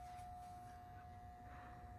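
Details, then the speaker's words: Brand-new Schumacher MC1281 battery charger connected directly to a car battery, not on 30 amp boost; steady even hum at one pitch, no wavering or squeal; normal transformer sound, unlike the wavering whine heard otherwise. "steady and I understand that Transformer sound I don't have any problem with that it's got a nice steady home"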